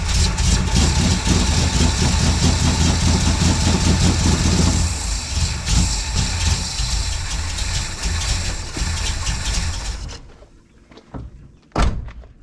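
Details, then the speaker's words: 1972 Plymouth Valiant, 318 V8 (converted from slant six), rebuilt Holley 600 four-barrel: loud lumpy idle that shuffles unevenly and smothers itself, running richer than before; fuel overfeeds past the wrong gasket fitted between primary metering block and carb body. "okay appears as though it's richer we're expecting that result okay i got to eat a little crow on this one which means i screwed up"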